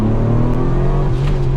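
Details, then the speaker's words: Red Ted, turbocharged, after full G-series transmission rebuild, new piston rings still breaking in, under 4000 rpm: strong smooth pull with steady deep drone, no misses or rattles; normal acceleration. "holy crap does it ever pull hard in a second i haven't even taken it above four grand yet"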